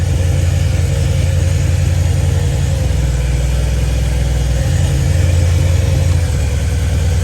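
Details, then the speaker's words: Supercharged Honda Prelude with aftermarket distributor, after flipping distributor wires to fix no-spark, good compression: low idle with uneven loping beat, sounds like a tractor; cylinder two dead, injector suspected. "It sounds like a tractor though."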